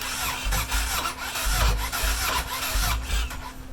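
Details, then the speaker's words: Cold Yamaha Road Star Warrior 1700 starting after a Raider-starter "frankin-starter" swap, 4-gauge cables, lithium battery, compression solenoid tested fine; starter drags engine slowly, laboring each compression, resetting the clock. Slow cranking unchanged by the mod. "Same problem. And it has wiped out my clock. So unfortunately, that starter mod doesn't change a thing."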